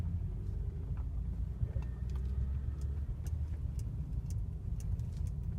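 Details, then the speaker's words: Mercedes W212 cabin over bumps after fixing the dash squeak: wiper removed, plastic windshield trim lifted and sprayed with WD-40; low road rumble and soft thuds only, no squeak from the dash near the windshield. "вот видим по кочкам [музыка] кроме ударов ничего не слышно"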